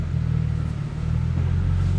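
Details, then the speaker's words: BMW 135i (1M clone) N54 just fitted with Doc Race single turbo kit (6266 turbo), first drive with engine still cold, cruising: deep steady exhaust drone, no metallic buzz or rattle that was there before; normal exhaust without rattle. "Exhaust isn't rattling anymore too, which is nice. That is nice. That shit was loud."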